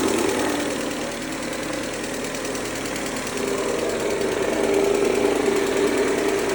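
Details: 2003 Mercedes-Benz A140 (W168), 196,000 km, sudden engine noise: petrol engine idling with a fast, fairly steady ticking knock about four a second; owner suspects timing chain or chain tensioner, unconfirmed.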